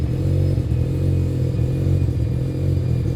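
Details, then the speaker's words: 700 HP turbocharged rotary RX-7 at idle with secondary throttle plates open: deep, lumpy loping idle that never settles, strong fuel smell indicating unclean burning; rough idle from open secondaries. "I already smell more fuel, which to me means that it's not burning it as cleanly."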